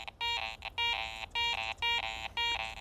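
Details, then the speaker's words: Garrett ACE 400 metal detector, jewelry mode with iron notched out and iron audio on: repeating high beeps about twice a second, each flanked by a lower iron grunt as the coil sweeps; a non-ferrous target mixed with iron, not a pure coin. "There's some flanking iron sounds. If I'm dead centered on it, still sounds okay, but as I'm coming and going, I can hear that iron grunt on either side of the target."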